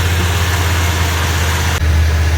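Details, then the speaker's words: 1984 Ford E150 Econoline camper van, now running off a boat tank through the fuel pump while warming: deep steady rumble with a sudden drop and pitch shift; idle not yet holding steady. "may be a trick to get this to stay running on that fuel but there she"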